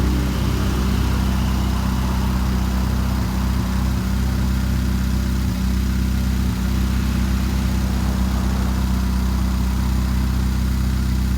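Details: 2013 Chevrolet Spark idling with an uneven low-pitched beat and occasional stumbles in the rhythm, consistent with a cylinder misfiring at idle.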